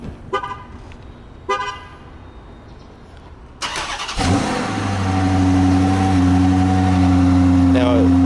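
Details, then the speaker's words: 2014 Dodge Charger R/T, 5.7L Hemi V8, started with the remote start: two short horn chirps, then the engine cranks and catches into a steady, deep, even idle; normal start. "And here's the key right here. It has um it has remote start. So, I'm going to go and start it up."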